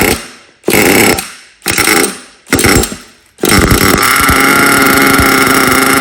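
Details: HPI Savage SS nitro RC car, first start in years after engine rebuild: several short pull-start bursts, then the engine catches and holds a steady, high buzzing run; starts and runs normally.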